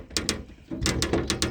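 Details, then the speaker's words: 1981–1990 Ford Escort/EXP door with stock worn window run channels: quick dry snare-drum-like plop-plop clattering as the glass rattles loose in the channel, heard while driving unless fully closed; fix is replacing the run channels. "You hear that plop plop, and it sounds like a snare drum. That's the sound of the glass rattling around in there."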